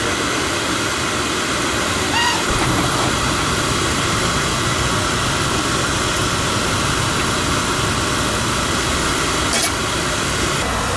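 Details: Oil burner: steady even roar with constant hiss, no surging or sputtering; firing cleanly on good oil flow.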